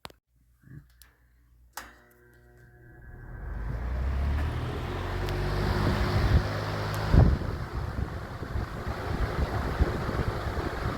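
Fan winds up over a couple of seconds into a steady, even rush of air, no ticking or rattle; healthy fan on high.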